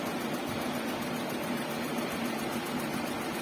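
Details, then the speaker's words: Suzuki Karimun Kotak radiator fan after fan-motor carbon brush check and coolant flush, running about 40 s and cycling at 80 °C engine temperature: loud steady air rush with even hum; fan works normally. "Oke, demikian ya teman-teman, kipas fannya sudah berfungsi dengan baik, dengan normal."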